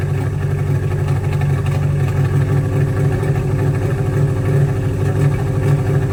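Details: 1985 Oldsmobile Cutlass with swapped budget 283 small-block Chevy V8, Holley 600 carb, new exhaust: loud lumpy idle with beats dropping out, sounds like it's missing and hesitates to pick up; late timing had caused backfiring, cause of miss unconfirmed.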